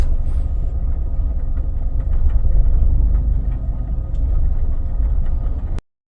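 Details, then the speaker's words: Opel Astra G SRi, Z22SE engine, recorded inside car in rain with radio off, after purge valve issue partly fixed: low steady idle with faint occasional uneven stumble; slight misfire remains, cause still unknown. "but as you can see there's still a slight Miss um so at this stage still trying to figure out what's going on"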